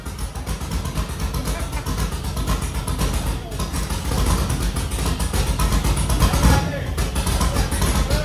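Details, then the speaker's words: 1968 Mercury Cougar with LS V8 swap, Holley Terminator ECU, Texas Speed BFD cam, freshly first-started: loud lumpy uneven idle that stumbles and surges, burning far too rich before its closed-loop learn. "It burns super rich. Yeah, well that's what I said. It's gonna have to sit there and run to do a closed loop learn. It's got way too much fuel though."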